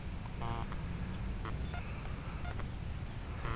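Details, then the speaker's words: Blade 180 CFX helicopter with a 5100 KV motor, Castle ESC set to 5100 KV with governor settings of 4000/4300/4600: after a 3-minute flight, short high double beeps repeat about every second, the ESC's overheat warning, while it cools. "this cool off for just a little second hair and see what happens if that castle stops that double beep"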